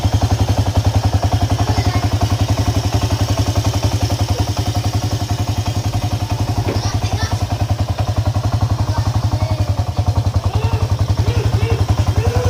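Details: Honda EX5 Dream engine at idle: loud, harsh, steady thumping at about four beats a second; suspected loose magneto nut, clutch nut or timing screws, not confirmed.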